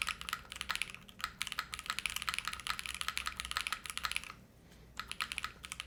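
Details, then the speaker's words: Spectacle60 keyboard kit with PC plate, revision unit with thinner PCB, GMK Future Funk keycaps, pre-lubed Kaisya switches: fast crisp typing with faint metallic ping after each keystroke, some resonance, noisy not muted; owner suspects the thin PCB. "I wouldn't say it's Hollow I would say it has a little bit of metallic sound circuit from it I almost want to say it's because the thinner PCB"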